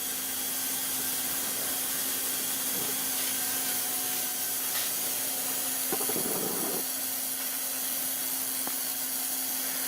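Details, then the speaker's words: Lakhovsky multiwave oscillator at 100% intensity with the spark gap at its minimum setting: steady high-voltage buzz with fine crackling, normal spark gap operation. "So what we're going to do with the intensity is, as we start to turn this on, we can hear the spark gap buzzing about."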